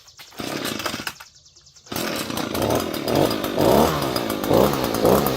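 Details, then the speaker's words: Echo PB-250 two-stroke leaf blower with new replacement carburetor, cold, choke at half: catches, stumbles, then runs rough and surging about twice a second while clearing out; normal cold running on half choke. "It might take a few moments for it to start to clear out, so you may have to help it run a little bit and just let it warm up."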